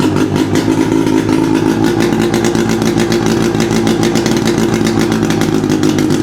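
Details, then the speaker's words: 600cc two-cylinder two-stroke snowmobile engine on a homebuilt sidewinder go-kart, first run after cracked heads repaired and long barn storage, bad fuel, no silencer; loud crackly twin running steady and fast, firing evenly; less smoke than expected, oil flow uncertain; normal running. "It's not smoking as much as I would like it to show. So, that's questionable. But other than that, it looked pretty solid."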